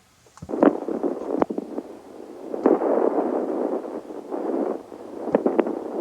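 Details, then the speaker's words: Old Radio Shack HTX-202 2-meter handheld transmitting, monitored on a second receiver: intermittent crackle, pops and hissy bursts, worse on high power, rare on low power; owner suspects dirty grounds. "you hear that you hear that crackly noise oh there it stopped sometimes it's a lot worse but that sound that's my problem it's worse on high power on low power it doesn't happen that often but when it does happen it annoys the people i'm talking to"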